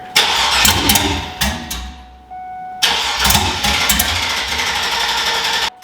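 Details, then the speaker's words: Monster truck school bus V8, sat all winter, first start on poured-in gas with no exhaust fitted and fuel system not hooked up: open headers bark loudly, engine dies after seconds, refires and runs harsh and uneven. "today we're gonna see if this thing runs no exhaust it's probably not going to be happy but is what it is"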